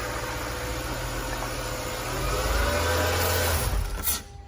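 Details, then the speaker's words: 2008 Mercedes CLS 550 V8 after a tune-up with new spark plugs: starts and idles smoothly, rising cleanly with a throttle blip, no misfire or ticking; normal start and idle, sounds healthy. "Keep your RPM letter high. That sounds healthy. It's all good."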